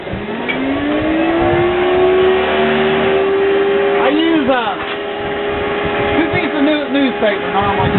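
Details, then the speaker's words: Toyota 22R engine running on gasifier fuel, driving a 25 hp 3-phase induction motor as generator for load bank testing, on a cold, wet night with a dead battery: engine catches, climbs and settles into a smooth even run; normal start. "And it doesn't seem to make any difference. I mean, it runs fine just no matter what."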